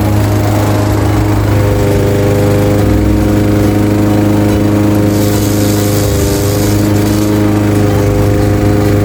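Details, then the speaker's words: Craftsman 21-inch cut mower with 5.5 hp Honda GCV160 single-cylinder, found with a dry tank, cutting at level-two height: a steady, even drone under cutting load, no misses, surging or knocks. Running normally; technically nothing was wrong. "Not bad at all. A simple fix. absolutely simple fix because there was technically nothing wrong with it."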